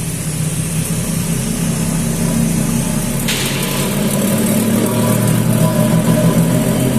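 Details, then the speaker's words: Nissan X-Trail with a humming complaint: steady low drone from the drivetrain, growing louder and higher. Holding either wheel, it still hums, so the noise was traced to the rear differential. "одно колесо шумит держишь другое тоже шумит в итоге задний редуктор решили что мы с него исходит"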